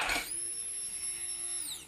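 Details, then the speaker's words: 1999 Ducati 996 new in-tank fuel pump bench-tested before installing in the tank, key on: high steady whine holding over a second then winding down smoothly; normal fuel pump operation. "just plug it in turn the key on you should hear the pump to make it sound you got a test run on it"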